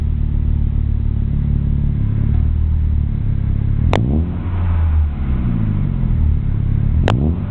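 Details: Chevrolet Aveo idling after an exhaust leak was fixed: a deep, steady exhaust rumble with no puffing or ticking.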